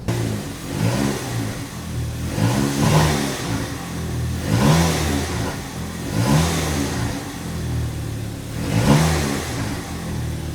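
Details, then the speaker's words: VW Caddy with a DSG that had started really lumpy while almost out of fuel, after topping up: revs up and settles cleanly in repeated blips, no misfire or stumble; normal running. "So I topped up some fuel and it sounds much better"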